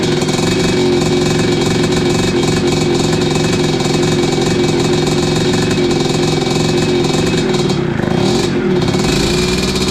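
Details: 1986 Tecate 3 two-stroke after new bore, piston and rebuilt crank, first run in years, heat cycle: loud busy crackle at steady speed with slightly uneven edge, keeps running a little rough; owner blames the 500 carb.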